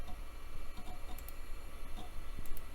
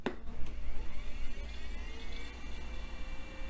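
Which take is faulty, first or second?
second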